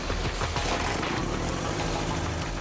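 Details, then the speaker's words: New Suzuki GSX-R1000 engine at end of assembly line, motored compression test: electric motor spins the non-running engine, exhaust-like rapid rough chuffing with heavy low rumble is a pressure gauge measuring airflow; healthy. "it almost sounds like the engine's running but it's not an electric motor is spinning the engine and what sounds like an exhaust system is really the sound of a pressure gate measuring the air flow inside the new"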